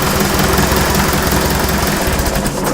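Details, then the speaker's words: Fiat 352C diesel tractor after new pistons and rings, refurbished alternator and injector pump, new glow plugs and filters: loud, fast, even diesel clatter, no misses or knocks; normal running. "so that sounds like a motor now"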